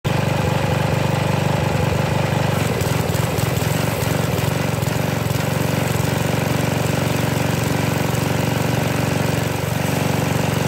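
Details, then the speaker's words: Briggs 190cc pressure washer engine, choke partly on, RPM lowered: deep chugging with a slightly uneven, shaky beat from a lean, mis-tuned, surging carburetor. "I can feel it going blah blah blah but it's it's shaky a little bit that's with some choke on"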